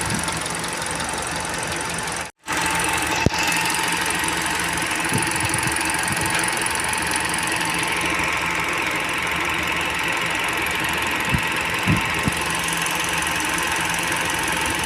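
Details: Idling car engine with a light, fast ticking over the steady hum, typical of valve lifter (tappet) noise; cause suspected, not confirmed.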